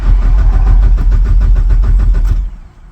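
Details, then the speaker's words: Mazdaspeed 6 that started and died, then sputtered and struggled to start; relay checked and swapped with no change: no fuel pump priming is heard, and the starter churns steadily at about three and a half beats a second but it never fires. Owner suspects the stock fuel pump has failed, before a DeatschWerks 65 replacement. "Nothing. So, we don't hear no pump priming. And then uh was trying to turn on but not. I'm thinking it's the fuel pump."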